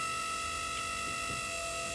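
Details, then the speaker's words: 1995 Kawasaki Mule KAF620A hydraulic bed lowering after flushing about 2.5 quarts of fluid: steady high electric whine with buzzing for about half the downstroke, then stops; upstroke fine; owner suspects dying pump, smells like electrical fire. "but makes this horrid noise now when going down for about half of the distance and uh then it just uh stops making that noise"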